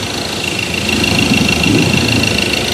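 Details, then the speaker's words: Ford Ranger 2.2 diesel, smooth at start but shaking after 3–4 minutes idle, cylinder 3 injector wiring/coil code: uneven, lumpy clatter with slight rhythmic shake. "แต่พอผ่านไปสัก3-4นาทีนะครับเครื่องยนต์จะเริ่มมีอาการเขย่าขึ้นมานะฮะ"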